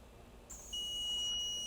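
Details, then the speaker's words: Dell G15 5530 laptop, a year old, dead after a RAM upgrade: a steady high-pitched beep from the voltage injection tool, set low, feeding a shorted rail; no nearby capacitors heat up, and the CPU later turns out hot. "I hear it beeping, but I'm not seeing anything getting hot."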